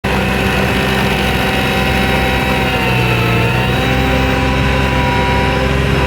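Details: New Vermeer SC1052 stump grinder engine grinding stumps under heavy load: strong even drone holding speed, no knocks, misses or rattles; survived hard torture-test use, running perfectly.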